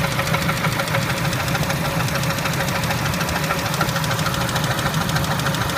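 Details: Spectra engine idling: a steady, rapid ticking knock at about three per second sits over an even idle. It is an engine knock at idle whose cause is suspected but not confirmed.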